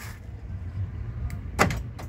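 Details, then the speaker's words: 2010 Isuzu Panther LS Turbo, central locking tested by remote: quick clunks of door locks firing together over steady engine idle; normal central locking operation. "ini audionya normal semua sentralock juga normal ya Coba kita cek sentralocknya ya"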